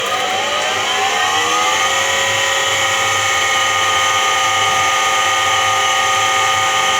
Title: Как гудит подшипник стиральной машины